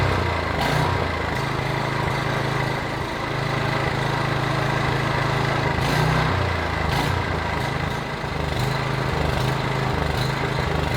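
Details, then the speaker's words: PowerBoss 5500 W generator, Briggs & Stratton 9.5 hp OHV, rebuilt from parts, carburetor primed, plug cleaned and gapped 0.030 in: fairly even putter with slight hunting; running fine until out of gas. "okay she's running good she's running out of gas so i shut it off"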